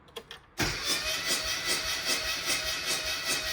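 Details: Classic Mini never converted to unleaded fuel, blown head gasket, plugs one and two wet, cranking during compression test showing near zero: starter whirrs with a loose, uneven chug of about 150 a minute, one beat lacking bite.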